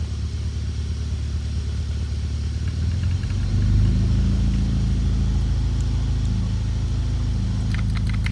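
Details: BMW E39 M62TU 4.4 V8 at 210k miles, running rough; deep V8 rumble with loose, uneven clatter rising with revs; timing chain rattle from cracked main guide, all four chains untensioned, oil pump chain stretched; rebuild needed.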